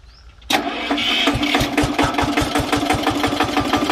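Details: Daiden D200 welder/110 V generator set (possibly about 5 kVA, 12 V DC output) driven by a roughly 10 hp single-cylinder diesel; catches at once, steady chugging about three firings a second, healthy smooth idle.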